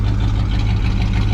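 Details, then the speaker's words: 1970 Pontiac Grand Prix Model J, 400 cu in (6.6 L) V8, Muncie 4-speed, running after fuel-pickup trouble in tank: deep, steady burble, even firing, no misses, knocks or ticks; healthy idle. "And listen to that thing run. It sounds really good."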